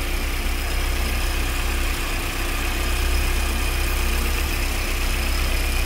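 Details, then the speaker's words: VW AP 2.0 8v engine warm at idle after new INA tensioner and Gates timing belt; noise absent when cold: thin steady chirping whine from the tensioner or pulley area, stopping when water is applied; timing belt noise. "barulho e ele vem aqui da parte superior do tensionador ou da polia e agora quando eu colocar um pouco de água o barulho vai parar"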